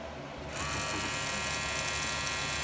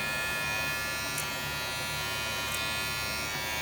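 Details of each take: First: Wahl clipper with red premium guards: high buzzing hum with thin metallic rattle from the guard's loose little metal clip; fixed by adjusting that metal piece. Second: Wahl clipper with premium red guard after rattle fix (bending the guard's small metal piece): steady, even buzz with no guard rattle; sounds healthy and quiet.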